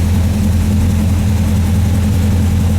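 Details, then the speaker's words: 1978 Chevy K30 Scottsdale truck, 350ci V8, first start in 4 years after priming carburetor: deep, steady idle with even beat, no knocks, misses or squeals; runs like a dream, alternator charging 15 volts. "see if she'll fire pressure founded like a dream boys alternators worked in 15 volts"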